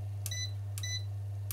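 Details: ERGO FS 1677 fan after repair by replacing a failed 400 V capacitor; before repair it beeped when plugged in and shut off: three short, clean high button beeps about three-quarters of a second apart over a steady low motor hum; controls respond and the fan runs.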